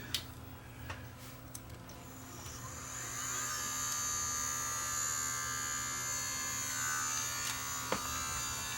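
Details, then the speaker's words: Sony DCR-TRV530 Digital8 camcorder with a Digital8 tape, drum spinning up to 4500 RPM from 1800; thin steady high-pitched scream holds constant; first suspected the drum bearing, traced to the cassette lid rubbing the head drum. "we'll just throw a digital eight tape in just so you can hear how loud it's going to get but it sure sounds like the bearing itself is on its last legs so you can really hear it screaming"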